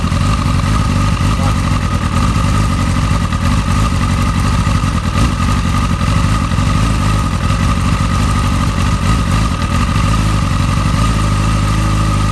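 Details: Motorcycle with an ongoing rough-idle problem, before spark plug replacement: loud, lumpy idle whose beat wavers and pulls down near the end; cause not yet known, and the owner plans to try new spark plugs first.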